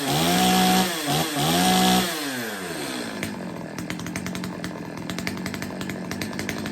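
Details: Stihl 025 two-stroke chainsaw after a carb tune-up and chain sharpening, test run with the bar and chain refitted and being oiled up: revs cleanly and drops back without bogging, then settles into a steady run; normal running.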